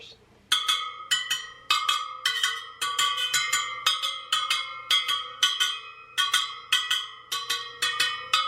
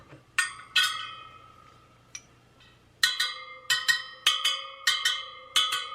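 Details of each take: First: Sur Ron Light Bee supermoto front wheel build, wheel on a stand: bright pings as each spoke is plucked, with one dull, short note marking a loose spoke to tighten. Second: Sur Ron Light Bee supermoto front wheel build, spokes plucked on a stand to check tension by ear: bright, clear pings at one even pitch spoke to spoke; evenly tensioned spokes.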